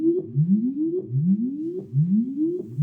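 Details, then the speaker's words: Line6 Spider Valve MKII guitar amp after repair, tone-generator test of the pot that had been noisiest: smooth repeated rising sweeps with no crackle or scratch; clean potentiometer sweep. "This is the pot that was giving you the most noise. Still, it's nice and clean now."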